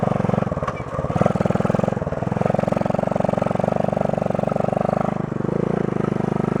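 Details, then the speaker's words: 1972 Honda SL125 yard-sale bike with new battery, running on choke after a cold start: small single thumping evenly with a steady quick beat and no misses; runs fine. "cold start chokes off let's see what happens oh there you go yeah that's a good one"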